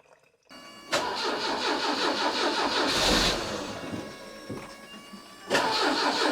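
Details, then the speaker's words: 1989 Citroën CX 2500 GTi, off the road since around 2007, warmed up after coolant flush and oil change: runs at a steady, quiet, smooth idle with no knocks or misses; sounds healthy. "still nice quiet engine by the way it's really it's really smooth"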